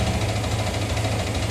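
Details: Yamaha R15 single-cylinder after an engine overhaul: steady idle with a light, quick tick in time with the engine that persists; owner asks which part it comes from.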